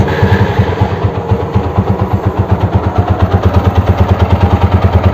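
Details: TVS Apache RTR 200 4V motorcycle, after an engine rebuild replacing the parts that caused the earlier growling noise. Steady low thumping idle, even and settled with no tapping or rattle; running healthy and ready for delivery.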